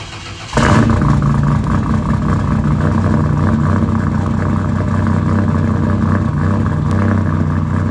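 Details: Car after installing RJC V-band exhaust gaskets: engine catches and settles into deep, even exhaust rumble under revs, no ticking or puffing; sounds healthy and sealed.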